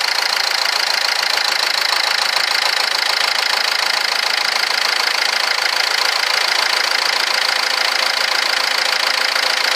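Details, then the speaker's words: 2010 Ford Fiesta diesel idling after a full service, with the air conditioning on. Steady rushing whoosh of the radiator fan over a smooth, even idle, nothing knocking. Fan running normally because of the air con. "now you might have heard the fan kicking and stuff don't worry about that the air conditioning is turned on in this car that's why it's making that noise"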